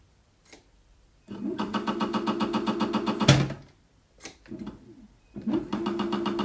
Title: Strange noise motor Aerlang